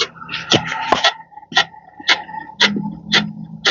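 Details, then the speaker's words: Fiat Fastback at 14,000 km, suspension rocked: short shrill creaks about twice a second from a control arm bushing. "é na bucha de bandeja, tá? Ó, tá fazendo isso aí."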